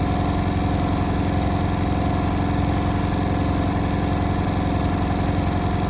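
Steady motor hum with a fast regular thumping, roughly three to four beats a second, through the spin; something is wrong, cause unknown.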